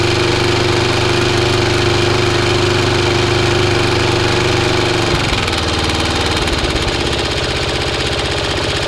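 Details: Restored Atco B17 Commodore petrol lawnmower, blades not engaged, after cleaned air filter, new filter, new fuel tap and hose: even single-cylinder putter, beat shifting slightly midway, no misses. Normal running.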